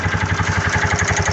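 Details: Piaggio 200cc scooter after starter motor repair (cracked magnet, worn carbon brushes): starts and runs with a steady, even idle, smooth regular pulse, no knocks or misses.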